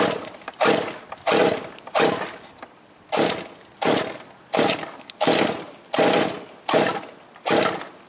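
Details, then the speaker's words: Quarter-scale GT40 with liquid-cooled marine engine, restart attempt right after driving through a puddle on a wet day: short cranking bursts that try but don't catch; owner suspects it took in water or is slightly flooded. "Oh, I heard it. I heard it try. It might have just a little too much in it."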